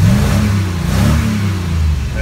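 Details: DeLorean fitted with a 350 V8 and a new mechanical fuel pump in place of the in-tank pump: a deep, even rumble rising and easing with the throttle, no knocks or misses, running healthy.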